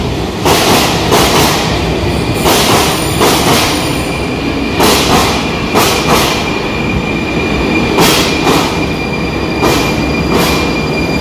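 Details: Train passing Luka station over an unusually wide rail joint gap, left temporarily during rail replacement in October 2020: heavy paired bangs as each bogie's wheels slam across the joint.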